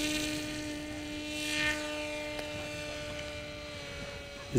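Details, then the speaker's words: BULLET v9.0 pusher RC trainer plane cruising at half throttle: steady even motor whine at one pitch with clean overtones, quiet, no strain or angry note; normal motor tone. "a different plane you can hear the Tone's quite different it's not working so hard okay so that's cruising and half throttle now yeah and it's very quiet much more pleasant to my ears yeah it's not that angry noise"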